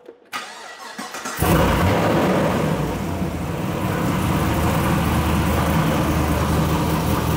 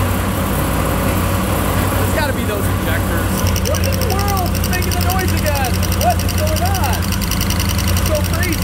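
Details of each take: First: LS V8 Chevrolet Caprice PPV police car after replacing a spark plug: cranks briefly, fires and settles into a steady, even idle. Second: LS-powered Chevrolet Caprice PPV police car at idle: a fast, sharp ticking that keeps pace with the engine cuts in about 30 seconds after start-up and later goes away; cylinder three was running cold (dead cylinder) and the cause was a loose spark plug.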